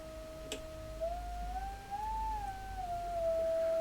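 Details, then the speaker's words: Blackstar HT5 guitar amp fed a large signal-generator signal into a speaker; only a faint, thin tone drifting in pitch over hiss, absolutely tiny signal: output badly down, preamp or power amp fault not yet isolated. "absolutely tiny signal nothing there at all"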